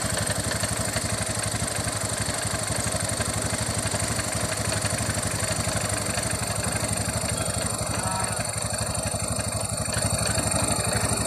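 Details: Honda Beat FI scooter idling with a steady thud about three times a second and a rough, rattly clatter from the CVT, noise from infrequent CVT servicing.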